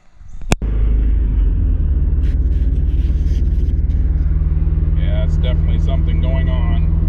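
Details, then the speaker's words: Mazda Miata on the road after grinding noise, engine let go: lumpy, uneven idle with stumbling skipping beat, sounding like running on three cylinders; engine misfire, cause unknown, later towed. "really bad it sounds like we're running on three so i don't know what happened"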